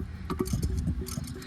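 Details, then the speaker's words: Removed Cummins ISX air compressor turned by hand: loose uneven clunks each turn; suspected trashed rod or wrist pin bearing, the new compressor turns tight and quiet. "I think that bearing in there, either the rod bearing or the wrist pin bearing, is just totally trashed."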